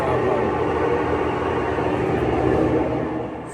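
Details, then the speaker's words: Older Whirlpool Cabrio WTW6200VW0 top-load washer, floating drum with stator drive, roaring in spin before repair; loud steady deep roar easing as drum slows; may throw F51/F52 speed codes; worn tub shaft bearings, fixed by replacing bearings, shaft and tub seal. "oh it might not even get to speed if there if the bearings are that bad it'll probably just throw the UL code or uh RPS code which is like f-51 or f-52 but yeah we got bad bearings think we got a bearing"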